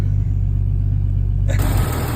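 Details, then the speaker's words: 1998 Jeep TJ after crankshaft position sensor replacement (previously crank no start): steady low, even rumble with no misses, knocks or stumbles; idling normally. ">> All right. She seems to be running okay. Still got a long ways to go with this Jeep, but at least she's running."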